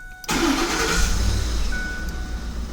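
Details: 2009-2010 Ford F150 started by a newly programmed plug-and-play remote starter: brief crank, then a clean catch and a settled, steady idle; normal engine start.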